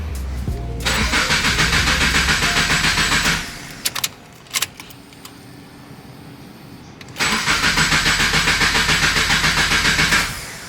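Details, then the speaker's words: Car cold start attempt: two bursts of rapid, even starter cranking at about three and a half beats a second, each dying without catching; crank, no start, no check engine light, cause unknown. "that's interesting no start what the let's see if there's a check engine light for anything"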